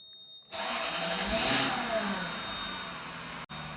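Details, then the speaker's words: Lexus SC430 starting after ABS module replacement and battery reconnection: thin steady high screech from start, new noise, VSC light now on; cause unknown; screeching noise on startup. "Well, it's making a screeching sound. Do you hear that? Okay. Well, now we have a VSC light on."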